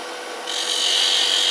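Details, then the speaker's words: Woodturning lathe cutting a captive ring with a curved skew laid flat on the tool rest: smooth, even hissing shave with no squealing tone or chatter; the earlier screeching is gone, cutting cleanly. "you don't hear that screeching noise that we had a while ago."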